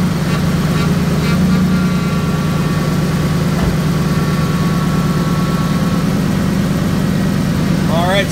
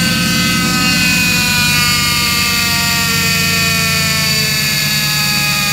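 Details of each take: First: 2005 Ford F-150 5.4 L V8 at idle after power steering pump replacement and air purging: even low rumble with no whine or groan, night-and-day quieter; pump healthy. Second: 2005 Ford F-150 5.4 L V8 at idle, before pump replacement: loud steady high-pitched whine over the engine from the diagnosed failing power steering pump.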